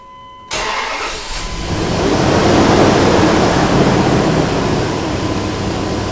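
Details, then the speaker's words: Dodge Durango with newly replaced mechanical fan clutch, first startup after reassembly: engine catches, then a loud steady whooshing fan roar rises and holds over the idle; clutch in full lockup, normal. "this thing should run in the full lockup position so the Fan's going to Roar for a while but after a couple minutes of running it should settle down to a lower RPM as the fluid begins to settle into the different uh areas which it needs to be"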